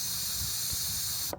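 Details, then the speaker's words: Caravan fridge not working on gas: strong steady hiss the moment the gas valve opens, then a sharp cutoff. Full gas flow reaches the burner line, so nothing is blocking it. "That's full speed. I was going to take that out and clean it, but that sounds like it's getting a lot of gas. That doesn't sound like a little bit of gas."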